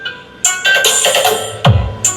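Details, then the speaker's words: Sakura AB735 integrated amplifier playing music from a phone: clean on one side but rough, crackly and broken up on the other, so one output channel is faulty. "Kung maririnig niyo halo yung tunog na maganda and then alam mo merong tunog na basag."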